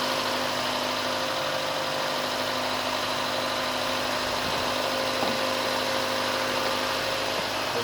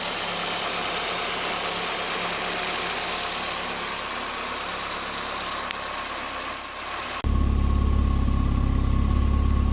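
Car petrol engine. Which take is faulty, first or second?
first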